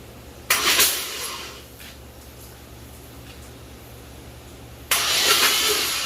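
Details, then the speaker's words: Chevy S-10 donor truck: two short cranking bursts, engine turns over but never starts; fuel is leaking at the back of the intake from a suspected fractured spider injector. "I was having the same issue when I tried to crank it over, and still got gas over there in the back."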